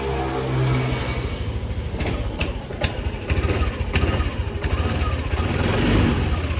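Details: Yamaha NMAX 155 that wouldn't start though speedometer lit; burnt starter connector removed and wire spliced directly; starter cranks briefly, engine catches, steady even idle: normal start after repair.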